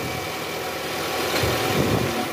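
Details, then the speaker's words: 2010 Toyota Camry 2AZ-FE, cold engine after about 2 hours off, idling high in gear right after start, after replacing worn balancer shaft: smooth steady hum, no rough grrkrk grinding as before; now normal. "nah ini suara mesinnya udah halus guys masih idle up karena baru hidupnya mesin guys tapi suara mesin ini udah normal Ya udah nggak kasar lagi kayak Awal"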